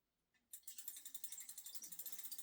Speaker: the squeak the noise it's not great that is just due to being stirred and having no lubrication on it at all it's gone very dry not a major problem it just sounds really bad